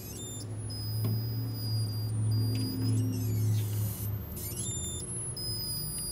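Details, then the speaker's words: 1956 Zenith 17X20 vacuum-tube black-and-white TV recovered from a desert dump: thin, very high whine slides down in pitch as a part is rotated; cause not confirmed. "hear when the frequency drops there?"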